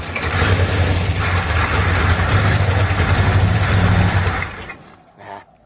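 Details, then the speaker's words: 1935 Ford truck, previously locked up, revived after years with carburetor working and ignition newly wired: catches at once and runs evenly about four seconds before shutoff; ignition wired correctly. "okay that's enough to tell me that uh the ignition's wired in right"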